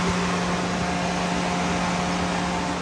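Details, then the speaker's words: 1999 Ford Lightning with newly wired 2010-2014 F-150 style electric radiator fan plus heat exchanger fan on temporary wiring, key on before start; steady rush of air and constant low hum, no rubbing or ticking, both fans healthy. "That's my big fan, or this one is hooked up to the small radiator fan, and then this one here is hooked up to my heat exchanger fan. So you can hear them both kicking on, but you can tell this thing moves some air."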